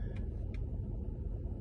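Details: Mercedes E63 AMG V8 after replacing split coil-pack-to-spark-plug boot on cylinder 7 that caused the misfire: deep steady rumble with no stumble or skip; no codes after hard driving; normal running.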